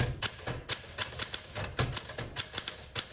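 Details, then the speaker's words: 1961 Smith Corona Sterling 5A series typewriter: crisp, clean key strikes in uneven typing bursts with no drag or rattle; typing action works smoothly, though the return handle is a little noisy. "Smith Corona Sterling. This feels really good. It's a little noisy on the return handle."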